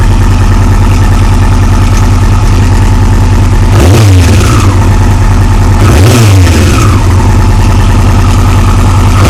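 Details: '01 R6 at idle with two throttle blips: a faint light tick that comes and goes under the idle, and a brief rattle as revs rise. Cause unknown.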